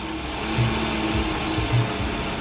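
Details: 2003 Toyota Previa 2AZ 2.4 L engine after timing set replacement, restarted with jump start (weak battery); previously needed about 8 cranks to start and was loud. Smooth, even idle with steady low hum, no ticking, rattle or slap; normal idle.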